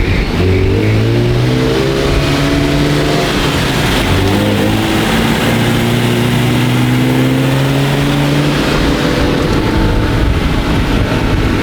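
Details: Fully built supercharged Honda NSX, freshly tuned, 450 whp on dyno, first drive. Strong clean revs climb and fall smoothly with no misses or rattles, rowdy unique tone; normal revving.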